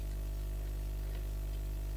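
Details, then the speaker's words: Experimental balanced microphone preamp, mic ground touched to induce hum: steady low electrical mains hum with buzzy edge rising or falling as the common-mode rejection trim pot is turned away from or toward its null. "you can hear the hum increases. Turn it more towards the middle, the hum diminishes. Turn it even further, and we get some more hum."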